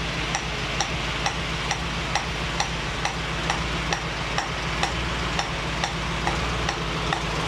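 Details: 1965 Mustang GT Convertible idling after installing a Tuff Stuff 7068K 140 A alternator, fan on: a new steady sizzling hiss with a light tick about twice a second from the carburetor area; cause unknown.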